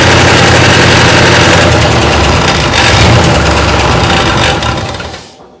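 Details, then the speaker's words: 1962 Chrysler 361 big-block, no oil pressure after sitting (owner suspects oil pump lost prime; possibly stuck valve or dry power steering pump): loud uneven lumpy run with rapid rocker clatter about four a second; misfire, rockers apparently getting no oil. "just sounds like I'm not getting any oil up to the rocker arms"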